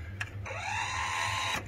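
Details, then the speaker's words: Broken Denon DRM-44HX direct-drive, dual-capstan, 3-head cassette deck: the door won't close with a tape in. On pressing play, a soft motor whir spins with no mechanism click and nothing engages. Tape transport not engaging. "so even if i manage to put somehow tape in the deck nothing would happen when you press play you see it just starts spit spinning and that's it"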